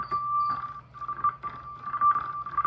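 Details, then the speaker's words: Drawbar contact dropout on a Hammond organ caused by a damaged or missing resistance wire bridging the two drawbar contacts: the tone steps and cuts to silence in short gaps as the drawbar moves, beyond the normal transformer-step zipper noise. "it works it sounds like it's just got zipper noise but really that's more than zipper noise there's actually a drop out"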